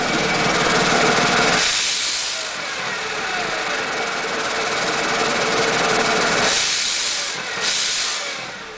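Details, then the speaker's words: 1998 Mercedes E320 running with a hole pierced in the exhaust to bypass a disintegrated, blocked passenger-side catalytic converter; a loud, airy hiss pulses about four times a second from under the car, and the engine runs fine. "actually there's a a hole in the exhaust right now that's why you'll hear hissing but when you start it up it runs fine"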